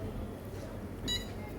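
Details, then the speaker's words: Luminous UPS switched off then on during repair: one short high-pitched beep over a quiet room, showing the UPS powers up normally. "ಈಗ ನಾನು ನೋಡಿ ಇದು of ಮಾಡಿಬಿಟ್ಟು on ಮಾಡ್ತೀನಿ. ಆಗ ಪೀಪ್ sound ಬರುತ್ತೆ. ಆ ಪೀಪ್ ಸೌಂಡಲ್ಲಿ ನಮಗೆ ಯು ಪಿ ಎಸ್ ಆನ್ ಆಗಲ್ವಾ ಅಂತ ಗೊತ್ತಾಯ್ತದೆ."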